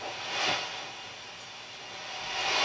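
Only a soft steady hiss that swells and fades, no scratching or crackle as the control moves; the pot is clean.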